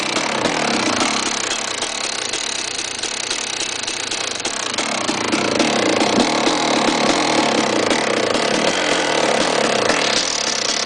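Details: KTM 380 SMR two-stroke idling unevenly: irregular rattly rapping around 220 per minute; bad engine noise, cause unknown.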